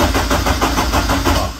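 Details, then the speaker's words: Lotus Elise cranking after immobiliser bypass with bridged wires: starter churns in even pulses about five per second but never catches; no pump sound at ignition-on. "par contre quand je mets le contact on nentend pas la pompe"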